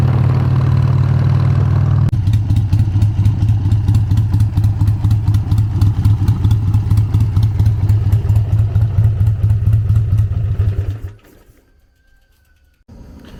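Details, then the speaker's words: Harley-Davidson with CV carburetor after tuning on the stand and a ride: loud lumpy V-twin, uneven pulses with spitting and sputtering when rolling into the throttle; hesitation on roll-on not fixed, struggles leaving from stops. "When you roll into the throttle, it still has that spit and sputter to it,"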